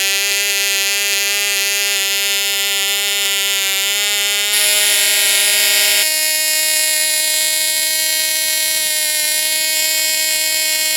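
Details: Cox Tee Dee .049 model engine, long-stored, on Sig Champion 25% fuel with the original 6x3 prop: steady high buzzing scream peaking near 12–13K rpm before stepping up; the oversized prop holds revs down, and a 5x3 let it rev out.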